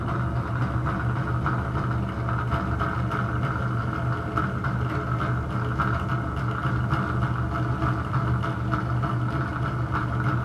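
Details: Bathroom exhaust fan: a constant low droning hum with a rough whirring edge; owner suspects a bad motor or fan bearing, and particle-board-like debris fell out when it was opened.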